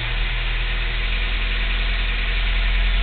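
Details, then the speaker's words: Idling engine, owner told to try more advanced timing: faint, uneven light tick over low rumble; cause unconfirmed. "I'm going to try, but going to check for the tick too. And I don't presume it would go away."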